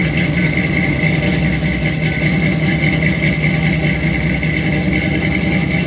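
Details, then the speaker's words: Squarebody Chevy C20 V8 with new Edelbrock 1906 carb, first start after install, camera near exhaust, slightly smoky: loud, slightly uneven idle with steady hiss on top; big vacuum leak from an open carb port, needs a plug before tuning. "so that's definitely a big vacuum leak so i'm gonna have to do like i did on one of my other abs two carburetors and find a plug for that"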